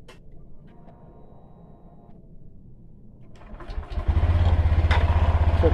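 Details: 2021–2022 Honda Beat Deluxe scooter after replacing the noisy fuel pump; quiet, then catches and settles into strong, steady, even idle, running healthy.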